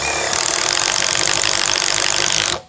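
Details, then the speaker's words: Impact driver boring wood with a 35 mm wood drill bit, heard as steady, busy hammering chatter while cutting chips, then a clean stop; normal impact driver drilling. "ale jak sobie włożymy do naszej zakrętarki udarowej włożymy sobie tutaj to po prostu tylko wióry"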